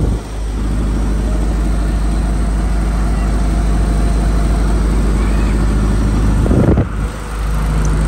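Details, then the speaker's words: Reconditioned Kirloskar HA494 four-cylinder air-cooled diesel 35 kVA silent genset at 100% load, about 4 litres diesel: deep steady drone at even speed, no hunting, knocking or rattles; healthy under load. "Performance 100% road प इस टाम engine चल रहा है और देख के लग ही रहा होगा चल भी रहा है"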